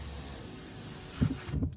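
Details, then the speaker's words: 2025 Mercedes C200 windows raised by the "Hi Mercedes" voice command, volume boosted: low, even motor hum, glass rising quickly then slowing near the top before soft thumps as it seats; normal power window closing. "Another thing I noticed is that the glass doesn't have one speed coming up. It starts off quick, and then when it's almost to reach the end of closing, it slows down."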